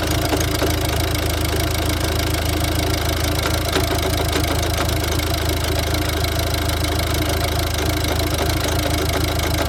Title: Ford diesel rough idle